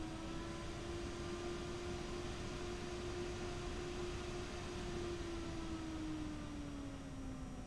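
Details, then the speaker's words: AMD Radeon R9 Fury X radiator fan, apparently a Nidec Gentle Typhoon variant, ramped up and down. A smooth, even whir with falling pitch over a soft airflow hiss: normal fan operation. "first I'll start by ring the fan speed up and down so you can get an idea of the fan noise profile"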